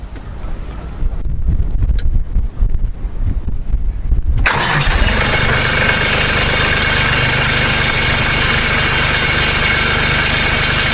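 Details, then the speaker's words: Kubota B2650 compact tractor diesel cranks and settles to idle with a tinny metallic buzz on the exhaust beat; muffler heat shield (guard) rattling against muffler, recorded without the fix clamp fitted. "so I'm gonna go ahead and start the tractor and let you listen to the rattle without the clamp"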